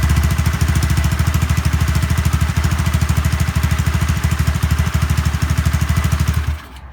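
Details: Honda Zoomer-X scooter after replacing the fuel filter and fuel pump motor to cure hard starting and stalling: even, steady low idle thump with no misses or hunting until switched off; normal idle.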